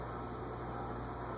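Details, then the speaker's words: Early-1980s Envirofan Gold Line 36-inch ceiling fan, model 136F-7, on a solid-state control at low speed around 0.12–0.29 A: a steady low electrical hum under even airflow, loud from the start, pitch unchanged. Motor hum that fails the fluorescent light test. "It's not getting louder. It started out loud. That's interesting."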